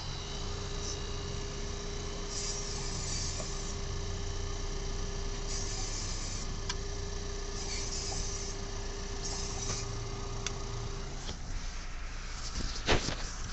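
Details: 2022 Ford Maverick, under 4k miles, OEM brakes, rolling under light braking in the first 5 minutes of driving: thin steady squeal at one pitch for several seconds. Brake squeal; no rocks behind the dust shield.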